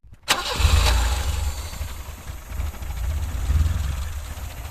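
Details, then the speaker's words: Weber 32/34 carburettor just installed, before adjusting by ear: the engine catches, then idles unevenly with a lumpy, surging low beat. Rough idle from a misadjusted mixture. "Bon, maintenant tout est bien évidemment déréglé, donc ça broute mais pas de panique car je vais pouvoir régler et ajuster à l'oreille."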